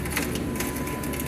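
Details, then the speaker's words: Failing window regulator on a 2006 Jeep Grand Cherokee, door panel off with key on: continuous rough, gritty crunching and grinding as the glass runs down. "you can hear this one's crunching in making some awful noise"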